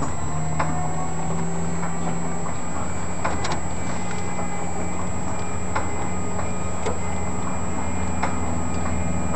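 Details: Left engine won't start: steady low drone from the ground power unit and sharp scattered ticks about once a second, but the engine never catches; no-start, with the boost pump ready if needed.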